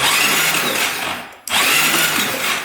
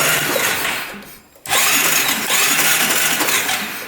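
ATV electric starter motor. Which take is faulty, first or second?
first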